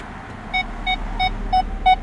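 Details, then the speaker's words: 2007 Nissan Maxima reverse sonar buzzer, whose original had an open coil, temporarily replaced with a non-OEM speaker for testing; engine on, in reverse, clean evenly spaced beeps about three a second on a steady mid-high tone, confirming the old buzzer was defective. "It works. So, that buzzer is definitely defective."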